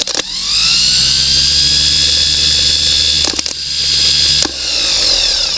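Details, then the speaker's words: 1967 Pontiac Grand Prix that sat in the dirt since 1996, starter tested with negative grounded to the starter and positive on the solenoid: high, even whine spinning straight up to speed, brief crackles as power drops and returns; starter runs freely. "starter works so that's something"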